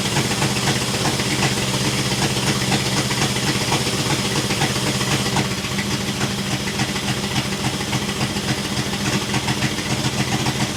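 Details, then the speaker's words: 1966 International 1200A pickup, not yet at temperature after fuel system work: loud ragged idle with sharp puffing ticks over a throaty rumble; exhaust leak worsened, open header, half the muffler on the ground. "if you can believe it the exhaust the exhaust leak has gotten worse the half the muffers on the ground my neighbors are going to hate me"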